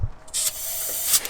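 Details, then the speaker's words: HKS RB28 engine in an R34 GTR, leak-down test on one cylinder after a mis-shift caused a misfire: a short steady hiss of air escaping into the crankcase around the cam. This is normal, so the cylinder is probably okay. "you can hear it coming out around the cam and that's normal cuz that's a crank case so I think this cylinder is probably okay even without looking at the gauge"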